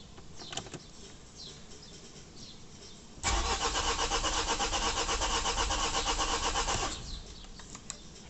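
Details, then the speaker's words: Vauxhall Vivaro van (same as Renault Trafic/Nissan Primastar) after clutch replacement: starter cranks the engine over at a steady, even rhythm for about four seconds but it never fires. Oil pressure fault on display, engine ECU not communicating; fuel pressure and oil level correct. "It's a engine crank, but it's not starting."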